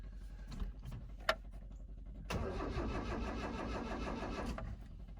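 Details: 1983 Mazda B2000 pickup with carburettor and cable-converted choke, after fuse box replacement and chewed wiring repair, fuel pump heard; short pause, brief starter whir, then engine catches cleanly and runs steady and even; normal cranking and start.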